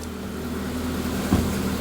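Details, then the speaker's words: Proton Wira being returned to the road after 12 years, fuel pump spaced off the tank bottom with a thicker gasket: smooth, even low idle with no whine or buzz from the tank area; the fuel pump is now quiet. "Yeah, you've done a grand job with that, mate. Sorry. You've done a grand job with that. Bit better, isn't it? I certainly can't hear that."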